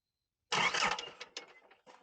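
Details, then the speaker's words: Self-built motorhome, gauge reading 99 degrees engine temperature; brief cranking breaking into a few uneven chuffs that die without catching; recurring hot no-start, as at the restaurant. "यह काम नहीं करता है और डिवाइस दिखाता है कि तापमान 99 डिग्री है, यह बहुत है और यह इंजन के लिए कोई अच्छा काम नहीं कर रहा है, इसलिए यह किसी भी तरह से शुरू नहीं होता है जैसा कि रेस्तरां में हुआ था।"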